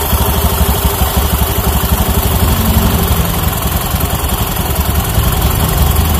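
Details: Honda Beat FI scooter after CVT service, clutch noise gone, drive belt kept: steady low idle with even pulse, no drive rattle, only slight belt roughness left; normal CVT idle.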